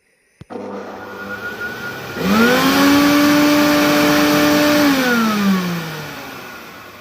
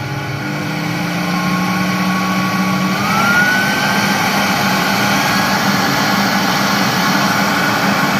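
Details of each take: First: Carpet-washing wet vacuum before maintenance: the motor spins up to a loud, strained whine and airy roar, as if choking. Clogged filters and dirt are blocking its airflow, so the machine "shouts" at high revs. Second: Carpet washing machine vacuum motor after cleaning its clogged filter and internal dirt; it had been roaring loudly, now whirs up to a smooth, steady hum with an airy rush, running like new.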